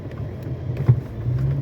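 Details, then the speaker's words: Fiat Argo HGT 1.8 with 115,000 km: single dull front-suspension clunk when driven a little faster over a speed bump; stabilizer bar suspected. "Pera aí que eu vou chegar em outra lombada ali ó passou um pouquinho mais rápido ó viu barulho pancada que ele dá ó"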